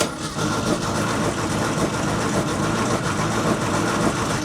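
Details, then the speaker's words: 1960s air-cooled VW dune buggy, sat over 10 years: steady starter cranking with no firing during plug spark test; no spark despite new plug and distributor cap, ignition coil suspected; cranks, no start. "I'm not seeing anything for spark. Well, with the distributor cap being brand new, I'm assuming there's not any issue in there. And even if the timing was off, it would still spark. So, my biggest suspect is this coil."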